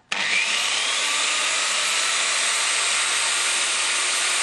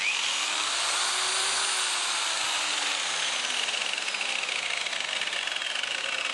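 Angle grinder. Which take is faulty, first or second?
second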